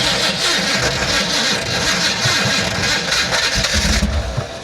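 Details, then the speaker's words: Maserati, owner suspects starter needs replacing or shimming; restarted after a rest, engine catches and revs raggedly for a few seconds, then sags and fades, won't stay running; starts then stalls. "come on okay enough playing around obviously she's not wanting to stay running"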